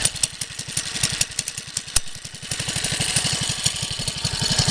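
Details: 1969 Taco minibike, original centrifugal clutch: rapid uneven knocking about four a second while riding, losing power when trying to gain speed; worn centrifugal clutch straining the engine, not a piston knock.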